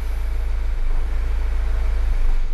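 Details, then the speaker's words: Mazda CX-5 showing empty fuel gauge with fuel light on: the idle hunts, revs rising and dropping unevenly, then it stalls within 5–10 seconds. The MAF sensor was disconnected earlier, as Mazda MAF faults are known. "you can watch that ribs sort of tend to jump up and down a little bit as it's humming the engine is sort of going up and down like the revs okay and give it five seconds or so five ten seconds and the engine stall"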